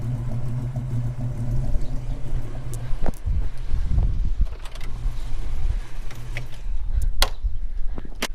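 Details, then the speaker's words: Holden HK V8 at the tailpipe: deep, even burble for a few seconds, then handling clunks; exhaust sounds healthy and no water leaks, though the temperature gauge reads high, still unresolved. "Water's good. No water leaks. Sounds good out the back."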